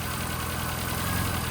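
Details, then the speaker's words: 1992 Rover Mini Cooper, 1.3 L single-point injection 4-cylinder, cold start after sitting since yesterday: fast even idle, loud breathy intake hiss and steady low thrum, no misses or hunting; runs and idles great. "Runs and drives nice. I accidentally ended the video, but yeah, well, what I was saying, runs and drives great. Idle's awesome. The air intake sounds awesome, as you can hear."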